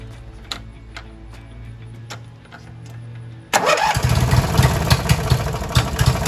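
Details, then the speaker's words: Li'l Red twin-cylinder tractor, choke still not working right: after a few quiet seconds it catches and settles into an even, steady chug with no misfires; running is clearly improved, normal. "i don't know if you can hear me but that was a definite change in running so uh i'll call that good"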